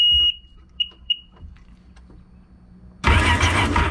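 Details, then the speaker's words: Sea-Doo 4-TEC jet ski that only clicked, cranked with spark plugs removed after oil found in cylinders: a few chirps, then fast even unloaded cranking, spins freely; oil leaking into the spark plug tubes suspected of hydrolocking it. "yep. So as you guys can see and hear, it's cranked now."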